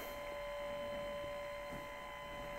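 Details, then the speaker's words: 1989 Macintosh Portable after a repair with leaky capacitors replaced and the board washed, trying to boot from the hard drive: quiet steady high-pitched whine at one pitch over room hum; owner thinks something is wrong with the hard drive, abnormal drive noise. "It tries now to boot the hard drive, but I think there's something wrong with that hard drive. You can hear it."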